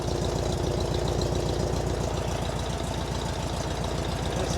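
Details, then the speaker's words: Air-cooled engine idling after an oil change with 3.5 quarts of 20W-50, zinc additive and a CB Performance filter, oil light out: even, steady low putter at about 3.5 pulses per second with no knocks or rattles. Normal idle. "Still a little exhausting. seems happy."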